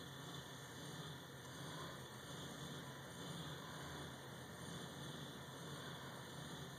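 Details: 2002 Ford Windstar 3.8 after new OEM plugs and wires, air, fuel filter, PCV valve, intake plenum gaskets, oil change, firing order checked: low, slightly uneven idle with faint irregular stumble; code reader unusable. Idle misfire persists.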